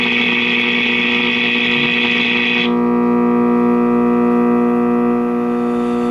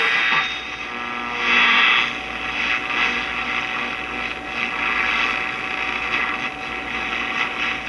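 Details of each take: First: 1951 Stromberg Carlson C1 tube clock radio, all original, first power-up before recapping: loud steady buzzing hum persisting with volume down, so not the filter cap; likely a microphonic heater-to-cathode short in a tube. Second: 1951 Stromberg Carlson C1 tube clock radio after replacing the shorted tube: clean station audio with no hum underneath; set plays clearly, fault fixed.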